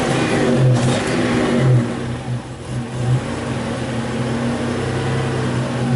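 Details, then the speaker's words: 1984 Buick Grand National, warmed up, with fuel-pressure regulator already checked; scan tool showing it pegged rich in open loop, then going lean and falling on its face when the throttle is snapped; cause undetermined. "so we're definitely going lean when we snap have the throttle I think"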